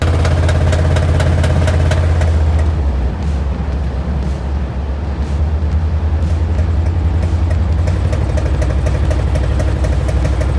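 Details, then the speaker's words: Van engine, one year after a self-installed new engine: sharp, hard ticking knock about three times a second over a rough idle; owner suspected valves out of adjustment, found broken rocker studs. "let's fast forward one year after the engine is put in i suddenly developed a terrible edgy knock"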